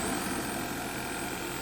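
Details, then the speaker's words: Audi A4 idling just after first start following a rebuild: smooth steady idle hum with even tone, no tapping, knocking or stumbling; owner says it sounds great, smoke considered normal from handling. "Sounds great. Holy shit."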